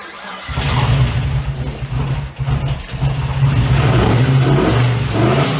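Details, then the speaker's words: Freshly rebuilt LS V8 with race parts, first start in a 1950 Chevy on a G8 chassis, transmission cooler lines not yet hooked up: deep, even rumble picks up cleanly through blips and settles back without misses or knocks; healthy running. "she sounds good I definitely need to hook up the transmission lines though whoopsie"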